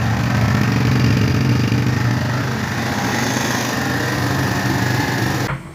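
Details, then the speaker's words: Kawasaki Barako II 175 cc single-cylinder sidecar motorcycle after timing-chain engine timing repair: even idle about three and a half beats a second, no chain rattle or clatter, then shut off; engine noise gone. "the motorcycle engine now is running and we observed that the engine noise was gone when the engine running in normal notes"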